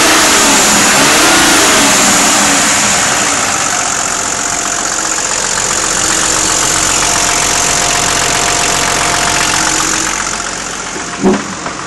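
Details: Nissan Patrol engine revs up, then settles to idle with a rough, fairly regular ticking clatter over it. The cause is unclear and not confirmed.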